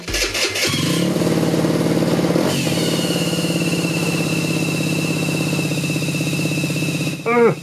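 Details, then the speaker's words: Scooter with 4-stroke engine on first start after cylinder-head rework: a steady high whistle over the idle came from a label peeling off inside the cooling-fan shroud and rubbing the rotor. "bruit au démarrage ça m'a pas plu du tout j'ai tour démonter j'ai tout remonté et encore ce bruit et finalement j'ai trouvé c'était une étiquette une étiquette qui se décoller à l'intérieur du cash de la volute de refroidissement ça frottait sur le rotor et voilà le sifflement qu'on obtenait lors du démarrage de ce sco"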